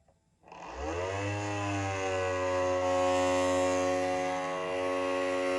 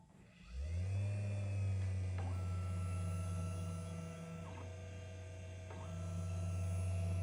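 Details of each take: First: Matterport Pro3 camera: small motor spins up within a second into a loud, steady, buzzy whine; suspected VDrive (lidar mirror motor) problem, not confirmed, possibly needing service. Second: Matterport Pro3 camera, VDrive (lidar mirror motor) at an acceptable noise level: low, steady motor hum with a soft higher tone cycling on and off every few seconds; normal.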